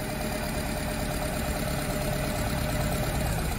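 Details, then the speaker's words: Nissan Tiida/Versa idling with a misfire but no fault code, injector 1 disabled with a scan tool: the engine shakes hard, an uneven idle with an irregular low thump about twice a second, so cylinder 1 is working. "you see that engine already started shaking a lot it means that the Cylinder number one is working"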